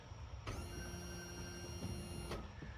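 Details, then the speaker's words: 5th-wheel RV hydraulic leveling/slide pump extending landing-gear jacks with coach on jack stands: steady pump whine just under two seconds over low rumble as fully retracted slide rooms creep out; cause still being diagnosed, manifold suspected. "That noise you hear is probably the room on this side going out. It sends the rooms out."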